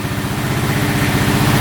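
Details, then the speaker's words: 2012 Honda Rancher 420 4x4 ATV running with air filter off, slightly lean with some backfiring, no codes or oil leaks: quick even thump and steady low rumble, a healthy-sounding idle. "Sounds really good."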